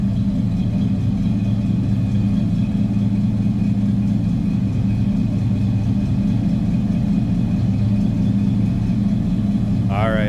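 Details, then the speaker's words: 1990 GMC Sierra 1500 regular cab shortbox pickup idling: deep, even V8 burble with a steady low rumble and no misses or knocks; a good sounding, healthy engine at normal idle. "It's a good sounding truck too."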